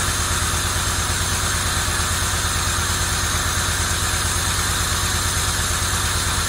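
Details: 1990 Camaro RS, first start after sitting 12–13 years: new fuel pump, sending unit, blown-out fuel lines, new plugs, firing-order plug-wire mix-up corrected, timing not yet set. Steady, even idle with regular low beat, no knocks or misses; sounds good.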